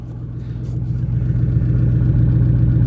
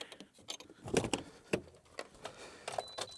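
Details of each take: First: GMC Yukon that sat a year, first start after the fuel pump control module fuse was fixed: a deep, loud, raw unmuffled rumble that swells with revs, because the exhaust was cut off at the catalytic converter. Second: Old GMC Yukon non-running after sitting a year, starting after fixing the fuel pump control module fuse: keys jingle, short crank, quick catch and flare, then steady deep idle; loud because the exhaust was cut off.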